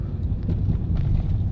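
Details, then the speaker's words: Mitsubishi Xpander driven over bumpy road after steering rack assembly repair: only dull road rumble and wind, no clunks or the earlier double knock from front end; knocking gone. "Wala eh. Okay eh no? Wala na yung kalampag."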